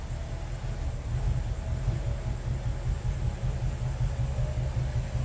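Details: BMW N62 4.4/4.8 V8 shown as it ran before, idling with an uneven, lumpy deep rumble that stumbles irregularly, with knocking. Random multi-cylinder misfire after parts were changed.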